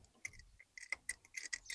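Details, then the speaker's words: 1971 Rover P6 2000TC, engine off: lifted SU carburettor piston drops with a sharp, light metallic click; damper probably low on oil and needs more damper fluid. "oh I hope that's being picked up by the microphone that's such a great noise but no again that's not my own limited experience of s carbs that probably needs a little bit more damper fluid in that"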